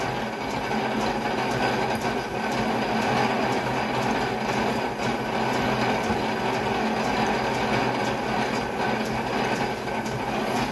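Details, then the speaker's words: Lathe drilling with long drill bit after piloting; even, steady hum with no chatter or snagging, very light pressure, drilling smoothly. "they are very very light pressure it's just going right in it's not snagging just going in nice"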